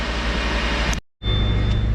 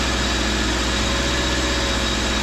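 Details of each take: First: 2013 Subaru Impreza, bad front wheel hub bearing (cheap AutoZone bearing, about 2 years old), driving with slight vibration: constant loud low droning hum/growl under road noise, not clicking; worn front hub bearing. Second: 2013 Subaru after hub bearing replacement, engine running on test: even, steady sound with no hum or growl from the wheel. The new hub bearing is quiet and the noise is gone.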